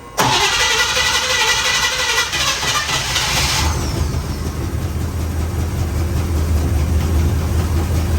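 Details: 1956 Chevrolet Bel Air 265 V8, previously locked up and freed, cold start with no throttle pumps: cranks briefly, catches without hesitation and settles to a steady, even low idle. Normal cold start.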